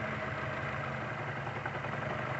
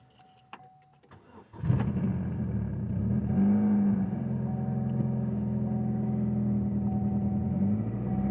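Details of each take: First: 2007 Chevy Cobalt four-cylinder idling with lumpy uneven beat: misfire from faulty cylinder one fuel injector; unplugging coil one changes nothing, other coils fine. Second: 2007 Chevy Cobalt after fuel injector replacement for a misfire; petrol engine catches quickly, flares briefly, then settles into a smooth, even idle, repair successful.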